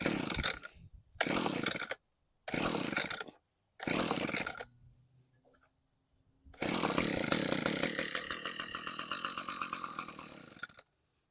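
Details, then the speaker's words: Echo two-stroke weed eater with broken throttle trigger, started on choke; short buzzy bursts that die, then rough uneven high-pitched run on choke with throttle not controlling it; fix was a new trigger. "This is the one with the broken throttle. So, I'll choke it and just"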